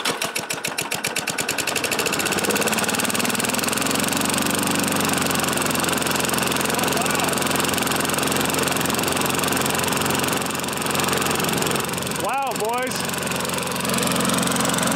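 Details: Previously seized small engine, freed up and filled with Rotella T1 SAE 30 oil: after a few slow pulls it catches and settles into a steady, even run with no knocking, running normally.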